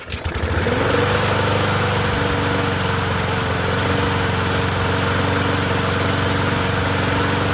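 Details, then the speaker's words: Murray 20-inch push mower with a 4.5 hp Briggs & Stratton engine, running after a different blade is fitted and still burning oil off the muffler; fast, fairly steady with a slight uneven chug, smoother than with the old blade. "Hey, not bad. It It It's not doing like it did with the other blade. So, that's a good sign."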